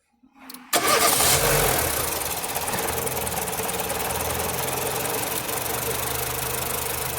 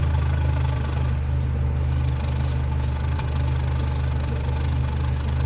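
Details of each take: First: Nissan Platina with power loss, backfiring and shaking at stops, water-bottle test on engine: cranks and catches, then shaky, uneven stumbling idle as current cuts out; ignition misfire traced to a cracked ignition coil. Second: Nissan Platina after misfire repair, heard at the tailpipe: an even, steady low thrum with no skipped pulses. The previously shaky, backfiring engine now runs evenly, with a normal idle and all cylinders firing.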